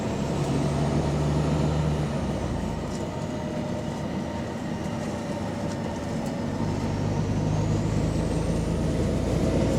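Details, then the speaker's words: Volvo B9TL Wright bus with ZF Ecolife gearbox set to Power Mode, heard from inside on route 89: deep diesel drone with a rough, low puffing edge from an exhaust leak. "Why is all of these B90Ls getting frequent exhaust leaks all of a sudden, man?"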